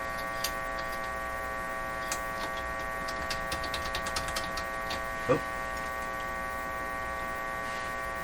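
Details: Philco 38-C7 tube radio: a steady low hum with a stack of even tones persists under the tuning clicks, mains hum getting into the audio, source not yet found.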